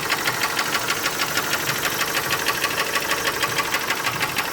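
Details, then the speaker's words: Chrysler PT Cruiser petrol engine idling: steady, sharp knock about three times a second, suspected bottom-end rod knock, possibly in a cylinder flagged for misfire; not confirmed. The airbag light is also on. "at miss Farr along with that knock that sound like a bottom in Arad not Becca very well be the cylinder in question"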